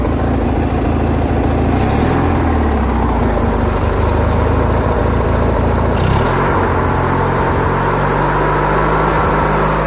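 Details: Briggs & Stratton opposed-twin engine on a Craftsman lawn tractor, after carburettor repair that cured surging: even, steady beat at slightly high idle, no hunting or surging; idle screw may need backing off.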